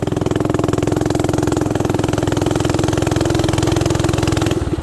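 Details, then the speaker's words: Coleman CT200U mini bike, warmed up and ridden under load with the adjusting screw set way out: a loud, steady, fast exhaust beat that pulls cleanly with no misses or knocks; the owner plans a governor change and a valve adjustment. Normal running. "if I'm doing this with no brakes you're running pretty good now that's warmed up"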